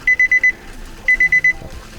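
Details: Nissan Titan VK56 V8 engine build, first cranking with injectors disconnected to circulate oil; high, sharp beeps in groups of four over quiet cranking, battery suspected too weak. Warning chime beeping while cranking.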